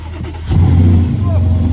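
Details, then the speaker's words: Car with a 4-litre German AMG V8, 101,000 miles, two owners, at auction: engine catches quickly and settles into a deep, even burble with a clean rev blip, no knocks or misses. Normal start and rev. "He's driven it. Sounds lovely. Yeah. V8 AMG engine."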